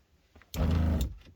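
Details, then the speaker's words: Motorhome water pump with about 14 V supply and taps closed: a low hum runs about half a second then cuts out, short-cycling because a plumbing leak bleeds pressure from 50 to 40 psi. "pump is coming on and off this should not be the case it should hold pressure"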